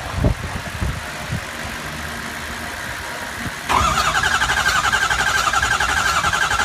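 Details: 2003 Ford 6.0 diesel: starter engages with a steady high whine, engine turns over evenly but never fires. HPOP replaced, IPR and FICM checked OK, still won't start; a smell noticed right after.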